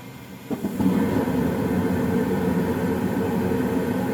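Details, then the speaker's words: Old Goodman gas furnace startup: click, then steady even roar of fan and burner flame settles in, no knocking or rattling; healthy light-off. "I'll go ahead and start it up and you should see the little fire starter in there glow and the inducer come on"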